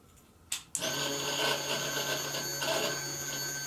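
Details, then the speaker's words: Crash-damaged Kawasaki Ninja H2 engine bought on eBay, wiring harness connected, first key-on: click then steady electric whir for about three seconds as the fuel pump primes normally. "it's working it's working the fuel pump tried to Prime"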